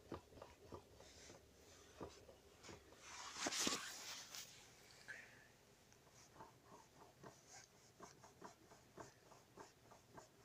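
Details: Skoda Rapid, stationary, heard in cabin while turning steering wheel: sharp dry uneven knocks about four a second from the steering rack; knock disappears once moving, returns over bumps at full lock, quieter in warmer weather.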